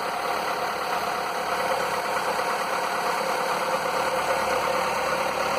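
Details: Skoda (probably Fabia) 1.4 16V BKY petrol, morning start after piston replacement; before, piston slap knocked cold and hot, more when warm: even, steady idle with smooth whir, no tapping or knocking; slap eliminated, runs clean.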